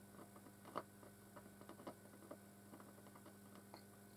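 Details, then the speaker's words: Probably late-1960s/early-1970s Hacker Gondolier GP42 valve record player amplifier on reduced mains power, volume full up, during capacitor reforming: very quiet steady low hum under faint scattered ticks and crackles, almost no program sound; weak output with mains hum. "okay so i've got sound it's not very loud but i have definitely got sound"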